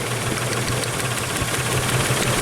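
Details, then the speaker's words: Isuzu/Honda Rodeo warmed up after a half-hour test drive with an intermittent misfire; lumpy idle with steady stumble and hard puffs, cylinder four dead, no spark from its coil. "okay it's misfiring got wheel number four let's pull it out no spark how about that that's pretty cool"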